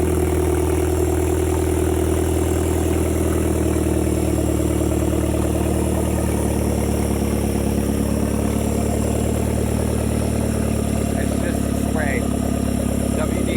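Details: 2010 Hyundai Genesis Coupe 2.0T, first start after head gasket replacement and new 38k-mile OEM turbo: even idle, sprayed lubricant burning off; correctly timed, firing well, no misfires, not yet revved.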